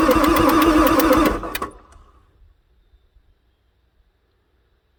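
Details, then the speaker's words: 1994 Ford F-450/F-350 Super Duty 7.3 diesel, pre-OBD2, fresh batteries and oil pump housing primed: steady cranking about three and a half turns a second then stops without catching; smoke and blow-by from intake, engine tired; cranks, no start. "it's smoking foreign I think this thing is just so freaking tired you can see the blow-by coming out of the air induction system"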